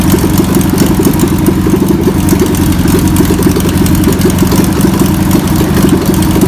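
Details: VW pressed-bumper bus engine sat over 50 years, run after freeing with spray and fuel added; fuel pump suspected bad. Loud, steady air-cooled flat-four chuff at idle, a little uneven but holding speed without stalling; old engine running.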